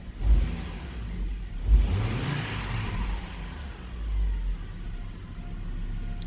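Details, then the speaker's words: Hummer H3 at normal idle with all ignition coils working: a steady, deep, even rumble with no misfire stumbles, shown for comparison before a defective coil is demonstrated. "a good idol so that's a normal idol"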